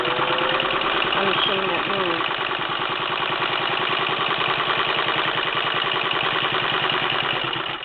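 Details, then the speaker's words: 1952 Singer Model 15-91 sewing machine sewing fast through two fabric pieces with batting, needle bar re-engaged: fast, even needle chatter with a smooth motor hum, running healthy at speed. "I'm going to use it as a sample of how fast this machine is this machine is very fast"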